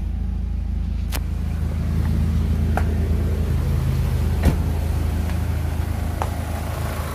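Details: Mercedes left unused about a month that would not start, now running after electrical repair; steady low idle hum with a few sharp clicks from handling nearby; smooth, even, healthy.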